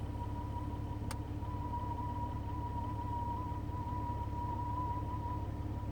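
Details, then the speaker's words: Jeep with the radio off making a thin, steady high tone that wavers slightly in pitch above a low drone; an odd electrical or accessory whine, source unclear. "My Jeep's making a weird noise. Sounds like it's trying to connect, like, contact alien life forms or something. Radio's off. It's not the radio."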